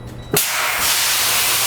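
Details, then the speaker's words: Tractor-trailer air brake inspection: a sharp pop, then a loud steady hiss as the trailer loses all its air and the spring parking brakes apply as designed. "so whenever he released this now he lost all the air so the parking brakes come on so you initially heard that loud that was your parking brakes enga"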